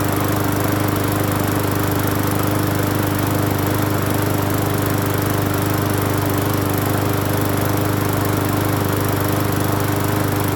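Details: Free Hyper Tough 20-inch push mower on first start after cleaning the carburetor and gas tank, with a little fresh gas and off-brand Seafoam treatment added. Even, steady drone with no surging or stumbling, not shaking. Normal running.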